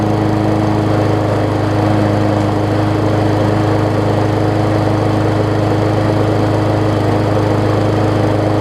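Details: Murray 20-inch 3.75 hp mulching push mower, long dormant with a stuck-open intake valve that was freed, after an oil change with Seafoam, new air filter, primer bulb and pull rope, and the governor vane freed: loud even buzz, holding revs without surging or misfiring, much better rpm.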